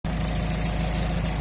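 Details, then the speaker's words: Engine idling after re-fitting cam gears that had been fighting to go on: even steady idle, smooth regular beat, no clunking or knocking anymore; knock fixed. "it seems to have fixed my problem I no longer hear no Clump clunk clunk nothing nothing in that team"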